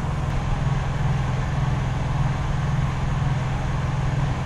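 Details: Honda EU3000is inverter generator warming up before an oil change: low, smooth, steady hum with a soft even pulse and no rattles or surging; normal idle.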